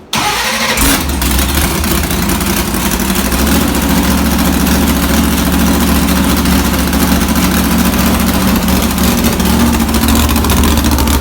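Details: Comet engine restarted with new spark plugs after old plugs were reused and one cylinder stayed cold (about 120 degrees) while others ran hot; coil suspected: catches after brief crank, then rough uneven idle with irregular stumble, like one cylinder not firing.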